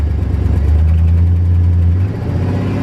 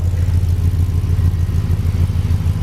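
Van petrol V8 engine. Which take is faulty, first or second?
first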